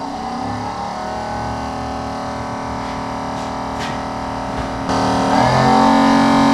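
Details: 1968 Ford Mustang convertible, newly installed heater blower motor after refitting: an even, steady whir with a constant tone and no scraping or ticking; it smooths out and runs healthy.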